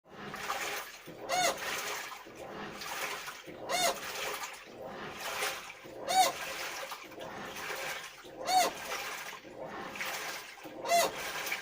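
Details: Washing machine agitating: a sharp squeak repeats about every 2.5 seconds over churning water. It returned after the balance suspension rods were replaced; repair later stopped it by swapping various parts, with the cause never found.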